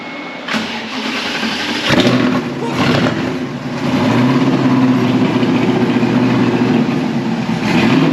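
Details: Replica Lamborghini Diablo kit car after fuel pump work (pump ahead of filter; tank full of sediment can block it when moving): starter whir, engine catches into a rough, uneven idle with a few throttle blips; it starts and runs.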